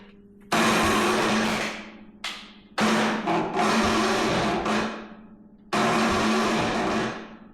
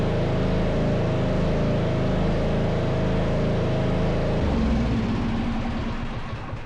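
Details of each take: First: MTD Yard Machines riding mower, 13.5 hp Tecumseh, after fitting new E3.18 plug (replaces Champion RN4C), plug wet with fuel: several labored one-to-two-second cranking bursts, no firing; slow cranking, no start, owner suspects starter, will check valves. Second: MTD Yard Machines riding mower with 13.5hp Tecumseh engine, poorly maintained, dirty air filter, after replacing the faulty starter: steady even low thumping that drops and settles; running normally.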